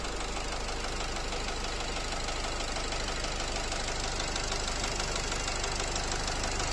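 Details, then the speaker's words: Nissan X-Trail with Renault 2.0 dCi diesel, unburnt-fuel smell, knock just appeared, mechanic says it feels like the piston hitting the valves: a sharp, even knock about three per second over the idle clatter, a worn connecting rod bearing. "Вот, появился этот стук. Ощущение, что лупит поршень по клапанам."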